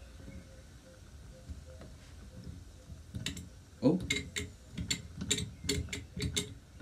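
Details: Mamod TE1a toy steam traction engine on a rolling road, warming through on low pressure with the valve opened slightly: sharp metallic clicks at about two to three per second over a light hiss. Loud ticking while running, cause not evident.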